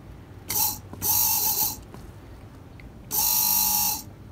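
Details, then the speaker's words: 2004 BMW E46 330ci SMG/SSG transmission hydraulic pump motor, removed and bench-tested on an 11.64 V battery: three short bursts of clean, steady electric whine; the motor runs normally, the sound expected when the door is opened. "that's the noise we should hear in the car if it works okay"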